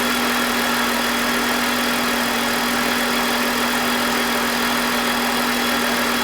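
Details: BMW E46 with M52TUB25 engine at idle, VANOS disconnected: smooth constant hum, no grinding or scraping, no RPM drop. Owner suspects the VANOS causes a grinding noise, worse at startup, heard when connected. Normal idle.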